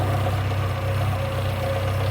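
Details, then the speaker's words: Classic Morris Minor back after years off the road, after distributor tweak and mixture screw adjustment: smooth even low idle, steady beat, no misses or hunting; normal idle, exhaust note sounds right. "that sounds good and then if you listen to the ex note as well I'd say we're about there"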